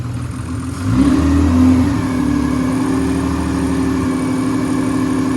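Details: Corolla drift car just after engine reinstall, first fire-up before heat cycles: catches with a brief rev, then settles into a steady, even idle with no knocking or ticking; looks and sounds very good, no leaks.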